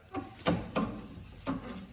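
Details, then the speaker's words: Car with all-new front suspension and two-piece rotors, passenger-side front wheel: a dull clunk every wheel revolution with a faint, relatively normal brake scrape; driver's side worse; owner suspects rotors, cause not confirmed. "you can hear a clunk. You hear a little scraping. That's relatively normal for brakes, but you hear that clunk every time."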